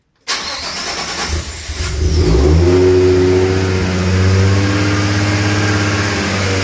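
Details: Rebuilt R33 RB25DET turbo on E85, started in neutral before its tune: it cranks briefly, catches in about two seconds and settles into a smooth, high, even idle. No more tapping after the repair; sounds healthy.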